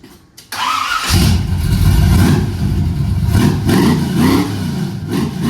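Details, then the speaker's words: 1978 Ford short-bed truck after engine swap, first start: starter whirs briefly, engine catches cleanly and pulls through a few smooth revs before settling; healthy start and rev. "Yeah, it sounds good. I don't need to make the truck sound like that."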